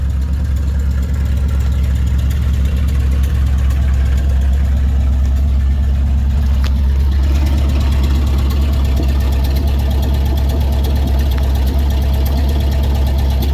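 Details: 1955 Dodge with a 70-year-old eBay-sourced transmission, warming up at idle in neutral; smooth, even low rumble, steady with no knocks or misses, good oil pressure; transmission fluid noted low. Normal idle.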